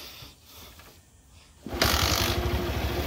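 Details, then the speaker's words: Old Bajaj Platina single-cylinder engine, previously worn out and making various noises, starts after full engine rebuild and reassembly; quiet then catches into a steady, even beat with no rattle, now refined and clean-running. "यह देखो start हो गई है गाड़ी और काफी बेहतरीन आवाज कर रही है इससे पहले कितनी तरह तरह की आवाज आ रही थी इंजन से अब काफी रिफाइन में इंजन हो गया है"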